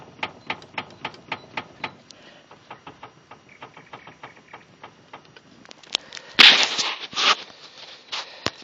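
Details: 2013 Skoda Fabia 1.4, 95,000 km: sharp hollow knocks about twice a second, no engine noise, as the wheel is rocked; worn steering rack knock.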